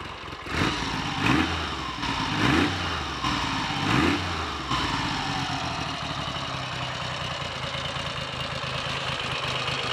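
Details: Triumph Trident T150V triple, first start in over 2 years, catches with a few uneven throttle blips then settles into a steady, even idle with no knocks or misses; healthy normal idle.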